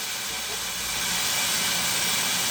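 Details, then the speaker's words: 1970 Oldsmobile Toronado 455 abandoned for years, first run: steady loud steam hiss with the engine off; coolant boiling over from overheating, partly because the water pump stopped circulating after shutdown. "I think it overheated for a number of reasons. One, we had shut it off, so the water pump wasn't circulating anymore."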